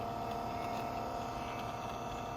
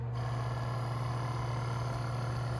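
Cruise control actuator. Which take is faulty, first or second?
second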